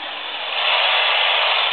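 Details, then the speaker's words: Laptop plugged in and on standby, picked up by a standard AM radio: loud even hiss and buzz extending about 2 feet below the computer, rising as radio moves closer; electromagnetic interference from the power supply. "let's see what happens when we switch on the power supply so the computer's in standby right now and just the M fact that it's plugged in is producing noise this noise extends underneath the"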